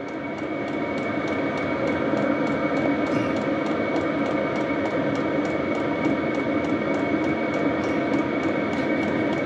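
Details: HCalory diesel air heater running normally in heating mode, starting to put out heat: steady even blower rush with faint regular ticking from the fuel pump, quieter than another unit's constant clicking.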